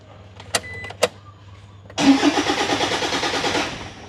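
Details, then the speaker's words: Toyota Vigo with 1KD diesel engine that cranks but won't start: two clicks, then about two seconds of rhythmic starter cranking that fades without catching; stored codes all concern the fuel pump (no pressure), suction control valve (SCV) to be replaced. "คันนี้สตาร์ทไม่ติดนะครับยกสไลด์มานะคันนี้นะFCบอกว่าเครื่องหมุนแต่รถไม่ติดนะ"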